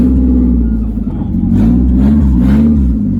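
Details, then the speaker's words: 1999 Mazda Miata NB, sat 8 years, running with the exhaust removed: deep, loud, uneven burbling rumble swelling as throttle opens, the raw bark of an engine with no exhaust system. "Shoot, man, why spend money on an exhaust when you can just take it off? It sounds the same."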